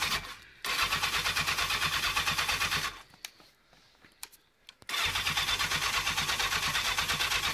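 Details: Honda CB700 Nighthawk S project bike on a newly charged battery, started the previous week after sitting: starter cranks steadily about three turns a second, pauses, cranks again without catching before it finally fires; prolonged cranking before start.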